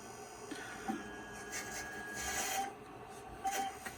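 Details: IBM PS/2 Model 25 (8086) 20 MB hard disk during advanced diagnostics surface analysis: faint irregular rasping and scraping bursts, typical of a dying drive.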